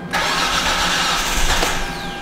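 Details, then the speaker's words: 2007 Hyundai Santa Fe 2.7L no-start, cranking while scan data is watched: steady starter churn with a brief stumble, nearly starts but doesn't; bank 2 cam position reads -12, possible timing belt issue; fuel pump circuit open. "거의 시동 될 번 했죠"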